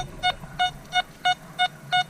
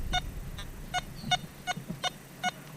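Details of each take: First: Metal detector (Nokta/Makro Simplex+ vs XP Orx test, factory settings) on buried targets. Silver dollar at 11–12 inches reads VDI 98, 97, 98; shield nickel at 8 inches reads 60, 65. Crisp, even mid-pitch repeating beeps give a solid target tone. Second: Simplex+ vs XP Orx metal detector test: deep target tone from a US buckle buried 19.5–20 inches in coin deep mode; mid-pitched beep each swing but no VDI reading.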